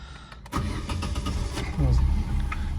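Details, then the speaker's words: 2005 Vauxhall Agila, 71,501 miles, start-up: short crank, catches at once and settles into a quiet, even idle with no knocks or rattles; no warning lights except low fuel. "start her up and as you can hear she's nice and quiet no lights on apart from obviously the fuel tank light"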